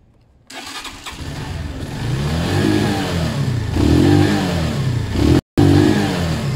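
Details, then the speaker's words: Zontes 125 motorcycle just started, not yet warm, with rust, debris and water from the tank likely in the carb; revs rise and fall in slow surges; owner thinks he over-adjusted the idle last time. "seems a little bit there I probably adjusted the garden too much last time let's get that back"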